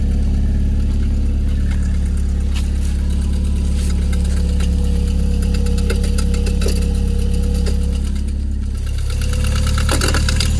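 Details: Toyota MR2 3S-GTE engine at steady idle: a light, uneven clicking at roughly three per second rides over the engine hum; source of the click unknown.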